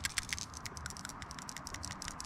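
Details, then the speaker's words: 2006 Nissan Sentra, 145,000 miles, old PCV valve shaken by hand during tune-up: quick, irregular, dull slow rattling clicks, deeper than the new SMP VR05 replacement; cruddy, sluggish check valve, replaced. "It's a little cruddy and a little sluggish on the check valve in there. It's probably good we replaced it."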